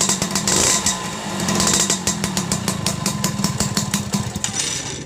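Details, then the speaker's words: Yamaha Force 1 two-stroke motorcycle that had lost ignition, after fitting an aftermarket (KW) CDI and rewiring the pulser wire; crisp buzz picking up cleanly on throttle, firing steadily with no misses; running normally again. "Oke teman-teman motor udah hidup normal kembali"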